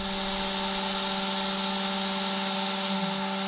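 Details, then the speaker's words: ARRMA Limitless RC car, ESC switched on by its button: the small ESC cooling fan spins up to a steady, even, high-pitched whir with no rattle or wobble; normal operation. "So watch the ESC fan once I turn it on. There it goes."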